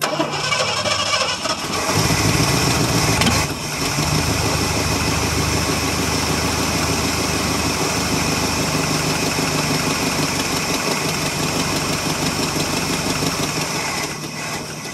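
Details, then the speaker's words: 1977 Ford F150 Supercab 460 V8 on cold start, low on coolant so kept cool: fires and settles into loose idle with fast uneven ticking puff on top, typical 460 exhaust manifold leaks. "typical 460 manifold leaks all right well ain't got a lot of water in it so I'm not going to get her too warmed up"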